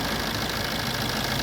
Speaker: ਕੋਈ ਆਵਾਜ ਨੀ ਆਦੀ